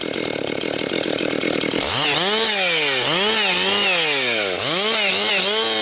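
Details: Rebuilt Husqvarna 262XP two-stroke chainsaw breaking in, compression up, bucking dry, partly rotten pine: crisp howl dips smoothly as it bogs into cut and recovers; strong, healthy running under load.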